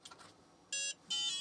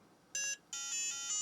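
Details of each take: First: Book8088 8088 PC-compatible laptop after replacing a flaky UMC 82C88 chip; a few short high electronic POST beeps in quick succession as it powers up; clean, normal start. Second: Book8088 modern 8088 IBM PC compatible laptop at power-on: short high beep, pause, longer warbling beep; boots only intermittently, suspected flaky 1995 Harris bus controller IC, responds to pressure on board.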